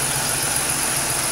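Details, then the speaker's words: 2006 Pontiac Grand Prix after an engine swap, exhaust leak fixed, burning off brake clean and curing RTV: steady, even idle with a light hiss and no ticking or puffing; healthy and quiet. "all right you guys we got our running nice and quiet no more exhaust leak really"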